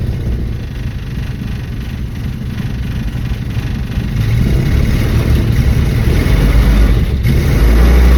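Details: 1974 Dodge Dart restarting minutes after being driven and fueled. Low, steady cranking churn of about three beats a second with pedal pumping, and the engine struggles to catch over several tries. Hard hot starting, cause unclear.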